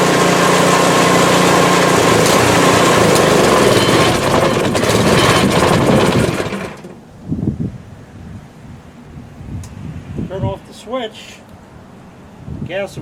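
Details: PowerSmart 24" snowblower in its ninth season, first start for 2024–25 winter, left running to burn off fuel; small single-cylinder engine buzzes steadily and evenly for six seconds then shuts down, no misses or knocking, healthy.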